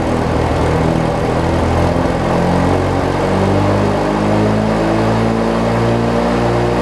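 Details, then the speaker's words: Craftsman 42-inch riding mower with 19.5hp Briggs opposed-twin engine, after governor and governor-spring setting, tested outdoors: engine climbs and settles at a steady, slightly high governed speed; governor set a bit fast, to be backed out. "okay so I think I went a little bit on the fast side just a little bit so I'm gonna back that out a little bit"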